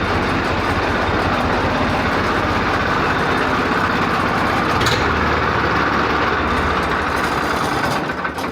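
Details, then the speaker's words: Swaraj 855 tractor diesel with hard starting: rough, uneven idle with a loose chuffing beat and no steady rhythm. Oil pressure is fine, and blow-by appears only after warm-up, suggesting a tired engine with worn piston rings. "गर्म होने के बाद यह थोड़ी मात्रा में gas छोड़ता है। जब हमने बात की, तो उन्होंने कहा कि इससे ब्लो-बाय तो होता है, लेकिन गर्म होने के बाद ही।"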